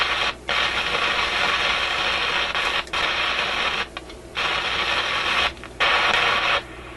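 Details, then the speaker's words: Canadian General Electric KM-5 vacuum tube radio, paper capacitors replaced, hissy crackle cutting cleanly on and off every second or so; intermittent audio output fault, suspected heat-related contact or bad tube contact, not confirmed. "kind of sounds like a heat related thing or something he's making contact Heating and then breaking off it's quite a distinct on and off to it"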